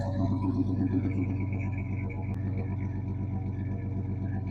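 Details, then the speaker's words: 1986 Chevy S-10 2.8 L, long unused, with a loud muffler: deep, loud exhaust idle pulsing about four times a second, with an uneven, stumbling misfire beat. Owner suspects a rocker fell off, causing a noise. "so if you ever wondered what a smooth misfiring 2.8 liter sounds like"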